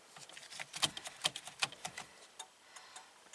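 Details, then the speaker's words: 1967 Triumph GT6, key on, after reseating a fuse whose solder had melted from poor contact: the turn signal flasher ticks about twice a second, slightly unevenly. The right signal works again. "Key on. Hey, check that out. We got turn signal."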